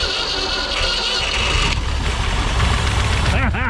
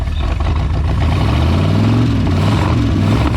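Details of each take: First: 1973 Mercury Comet GT, 302 V8 with 3-speed, first start attempt after about 35 years sitting: rough churning crank, then a single sharp bang through intake or exhaust, a backfire of unknown cause; smoke possibly Marvel Mystery Oil burning off. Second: 1973 Mercury Comet GT, 302 V8 with 3-speed, first start in 35 years: a loud, deep V8 rumble at a steady, slightly uneven idle, the engine now running on its own without help.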